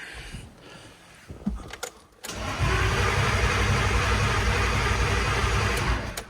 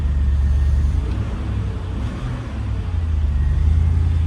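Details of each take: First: BMW S52 turbo wagon with boost box attached: engine cranks with steady even pulses for a few seconds but never fires, no fuel pump buzz; crank no-start, Walbro 255 pump installed last fall not running, charger also suspect. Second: BMW S52 engine started after sitting over winter on a recovered battery: deep even idle rumble with steady low beat, no top-end ticking; valvetrain quiet and healthy, though electric fan or charger lead possibly rubbing.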